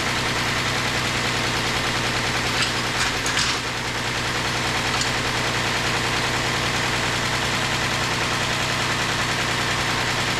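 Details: 2008 Ford Explorer 4.0L engine at steady idle just after reinstallation: a light metallic tick-rattle, two to three times a second, over the engine hum; timing chain noise, and the engine was pulled apart to inspect it.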